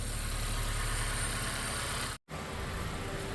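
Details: 2015–2017 Honda Accord 2.4L, first start after replacing the starter with a Bosch SR1355X for taking multiple tries to start: steady, even idle with soft regular pulse, no clicks or grinding; normal idle.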